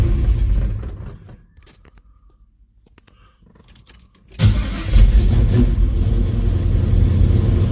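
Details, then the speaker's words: 1974 Camaro Z28 with a 400 V8 and its original Turbo 400 transmission, on a cold start with no choke: it barks to life and revs cleanly with a deep, even burble and crisp throttle response, a healthy-sounding engine. "And I can tell you now that the 400 is a really beastie sounding 400."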